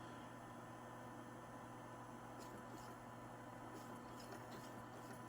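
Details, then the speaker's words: PlayStation 2 being restored: steady low hum from the spinning disc with light soft ticks as the laser sled moves back and forth; drive now seeks and reads normally, sounding better than before. "Oh, yeah. That's how it's supposed to sound."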